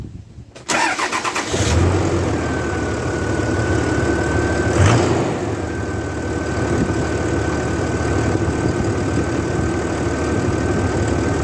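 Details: RAM 3500 dually after an electrical failure, with the battery cables retightened (12.2 V before cranking): a brief crank that fires within a second, then a steady, even idle with a faint accessory whine; it starts and runs normally.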